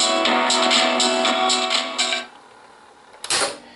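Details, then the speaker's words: Norelco 1230 cassette recorder from around the 1970s playing back a guitar song: harsh, crackly clipping on loud strums; distorted because recording level was set too high, unlike the first song. "The first song was recorded well, we got the adjustment right and the second song was a little bit too much, I mean, the volume or the recording level is a little bit higher than the first one, that's why it sounds a little distorted, okay,"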